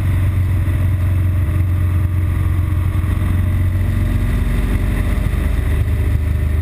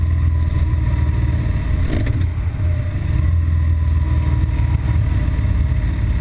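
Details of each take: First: BMW R1200GS Adventure with an intermittent stall and rough-idle fault, usually after a 20-mile A-road run into traffic, filtering through traffic with a steady, even boxer drone and no stumbles; running cleanly before the fault appears. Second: BMW R1200GS Adventure boxer twin at idle, an intermittent fault that usually appears on hitting traffic after about 20 miles of fast A-road riding: uneven, lumpy low beat dipping and surging irregularly, rough running that threatens to stall.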